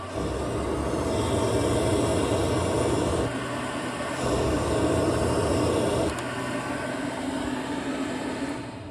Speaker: Oh, the heater. It's for this one right here. Can hear it kick